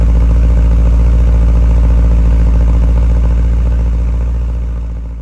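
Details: 1978 Porsche 928 (number 295) V8 idles heavy and lumpy with an uneven pulse of about 3.5 beats a second. It is running very rough, and the owner says it needs an "Italian tune-up" drive.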